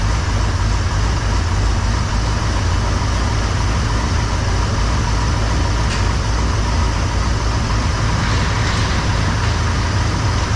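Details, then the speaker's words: Chevrolet C10 with 454 big-block V8, after adjusting a loose valve for an engine tick, new battery, first start after about three weeks: steady even idle, deep rumble, no tick, much quieter; warming up. "no I can tell you right now it's much quieter up here we'll let her get warmed up here for a minute"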